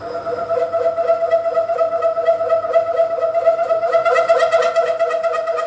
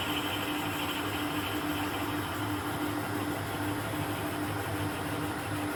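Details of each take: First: Boring bar extension with a 2-flute 12 mm end mill as cutter, opening a counterbore to 1 inch on a radius dresser part, speed slowed right down: a sustained high ringing squeal pulsing through the cut. The boring bar is chattering. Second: Mill boring head holding an HSS end mill with a 12 mm shank, cutting on one flute with cutting oil, on a radius dresser part: steady spindle hum, faint even tone, rhythmic cutting swish about three per second, no chatter. Clean, smooth boring cut.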